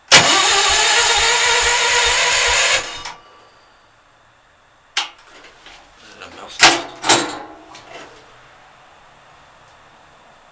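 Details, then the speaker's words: Vehicle that has run no more than five minutes in a month or two, cranked with the fuel on and lights dim; the starter churns about two beats a second for three seconds but the engine never catches; a mouse nest was possibly blown out. Long cranking without starting. "this thing this thing is hard to start it always is when it's on so close if you know why it's doing this tell me I would be glad to know"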